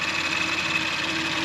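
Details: Audi RS5 2.9/3.0 VAG V6 idling after a rocker-arm failure engine rebuild: smooth even hum with a faint steady high whine, no rattle or ticking; normal idle, the previous clatter no longer heard.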